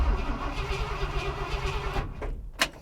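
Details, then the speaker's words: Ford F350 steady, even cranking at healthy speed for about two seconds, stops without catching; spark confirmed, fuel added, still won't start; truck was out of gas. "i mean i i'm happy with how it sounds when it cranks though there's at least that why aren't you running man there's spark there's i mean i've installed fuel"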